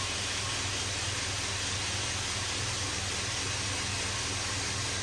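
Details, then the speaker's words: Newly assembled Blackfox 2x72 belt grinder, motor on a VFD, running forward at low speed. Smooth, even belt hiss over a low, steady motor hum with no rubbing or clatter; normal running. "There should be an audible whine come out of that VFD. I heard a beep, it came on."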